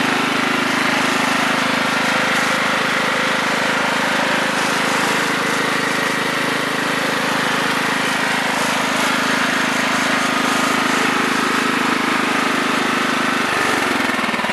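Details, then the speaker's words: 1996 Craftsman riding mower, 42in deck, 15 horsepower Kohler Command single-cylinder, engine warm; steady, even drone at constant speed with no knocks or misses, dropping off near the end; runs healthy. "as a 15 horsepower Coler command seems to run pretty good"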